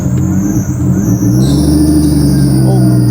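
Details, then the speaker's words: Nissan C33 Laurel RB25DET drift car right after start-up following work: thin high squeal wavering over a rough, lumpy idle from the power steering belt; oil light briefly on then went off. "bit of a power steering belt."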